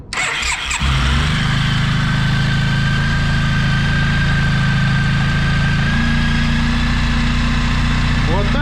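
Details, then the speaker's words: Very tired high-mileage Suzuki Burgman 650 (39,000 km shown, real far more) after replacing timing chain and tensioner: catches after short crank, settles into smooth even low idle with no knocks or extra rumble; normal idle. "So we continue we replaced the timing chain, the tensioner, we start and listen"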